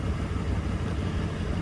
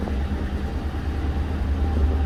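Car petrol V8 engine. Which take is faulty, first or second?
first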